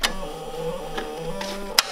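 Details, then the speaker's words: John Deere F1145 diesel mower, cold-day start after sitting since July 2017 with a bad starter, glow plugs used: slow, labored starter whir holding one low pitch with a few clicks and no catch. The battery is dead. "The battery, I think, is weak too upon that."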